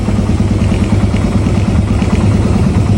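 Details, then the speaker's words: Raider 150 carb single-cylinder after proper shim adjustment, still on stock CDI and ignition coil; before, idle was high, it ticked and wouldn't tune. Now a steady, low idle holding evenly with correct RPM. "Ayan, napakaganda na ng RPM nya. Tapos tignan natin kung ilan ang kaya niyang abutin."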